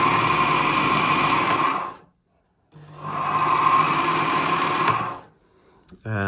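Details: Bernina Matic 810 sewing machine running with the bobbin winder engaged, before the hub replacement. Loud harsh screech with a high squealing tone for about two seconds each run; the worn bobbin winder hub slips and the bobbin sometimes stops spinning.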